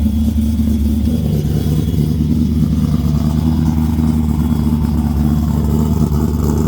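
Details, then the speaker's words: 5.0 V8-swapped Nissan S13 240SX, cold start after a dead battery: deep, lumpy V8 idle with a steady low throb and no knocks or ticks; a healthy cold start. "Nice little cold start for you."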